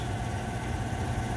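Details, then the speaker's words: Trane water source heat pump, R22, not cooling or heating: blower motor hums with thin constant whine, amps climbing toward 3.6 after minutes running; worn blower bearing, motor going bad and expected to lock up again, plus refrigerant leak causing low-pressure lockout. "so I don't know if y'all can hear that Blower's making noise again see if we can't get five amps"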